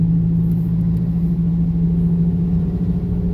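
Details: Camry cruising on the road: steady low drone at one pitch over road rumble and loud exhaust; driver suspects a worn wheel bearing.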